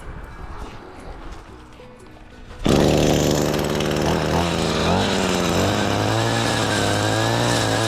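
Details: ECHO weed trimmer after broken drive shaft repair, first test cutting weeds: snaps to life and holds a smooth high buzz dipping slightly as it bites; driveline sounds healthy.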